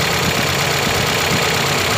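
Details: Toyota Corolla 5A 16-valve petrol engine after full overhaul, freshly refilled with oil and coolant, first start: steady, even idle with an unbroken uniform hum, no misses or knocks; normal healthy idle.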